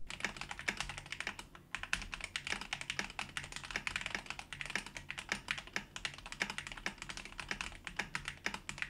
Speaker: by lubing the Springs you can hear that the rattle is 100 gone and the stabs didn't even need that much TLC to be near perfect